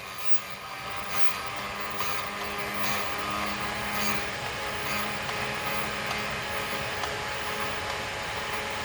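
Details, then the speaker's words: MRCM/Vevor drill bit sharpener grinding a jobber drill. Hissy grinding rises and falls about twice a second as the bit is swept back and forth. Normal; it continues until the grinding sound stops, then the bit is flipped. "Usually what I'll do is I'll go back and forth until I don't hear it grinding anymore. And then I'll flip it around one more time, make sure it's nice on center."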